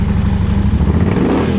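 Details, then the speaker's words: Ducati sport-touring V-twin with a GPR muffler and dry clutch, revved with the clutch pulled in: deep, throaty bark with an even, lumpy pulse and a clean free rev; healthy engine. "i love when these sport touring bikes sound super aggressive like that it's pretty unexpected yeah it's got a really wonderful sound to it"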